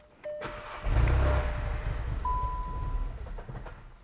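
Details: VW MK7 GTI with push-button start, sold as needing an engine, timing faults: dash chimes, engine catches and runs roughly about two seconds before dying; faulty cam adjuster spool valve.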